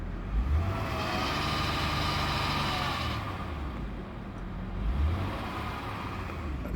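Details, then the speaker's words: 2006 Honda Accord 3.0 V6 when revved: low droning rumble with an odd rising and falling hum, happening intermittently; idler and tensioner pulleys already replaced, owner wonders about timing belt or water pump; source unclear. "I have a problem here with my Honda and this is a 2006 Honda Accord v6 3.0 engine but I give gas it sounds like this maybe you guys can help me"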